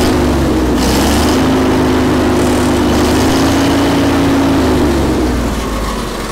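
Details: Vintage Allis Chalmers FP-40 forklift after fuel system overhaul, idle mixture screw adjusted in then out, no air filter fitted, spec idle about 500–550 rpm: steady low drone at even pitch, no hunting or stumble; normal idle.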